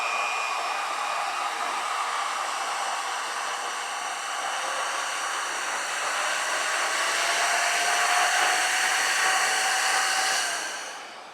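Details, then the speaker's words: Alloyman corded variable-speed car polisher (speeds 1–7), running off the pad, with a trigger that sounded crunchy. Smooth motor whir climbing in pitch through the speeds, then winding down evenly. Normal running. "I'm not going to set it on the pad so I mean it it sounds okay it don't feel cheap"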